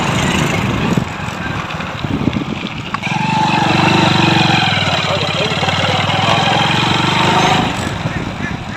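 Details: Hero Splendor Pro motorcycle, which made a noise from the gear primary drive when accelerating in gear, with the primary drive being replaced: an even, steady idle with a smooth firing beat and no knock or rattle, so the engine sounds healthy.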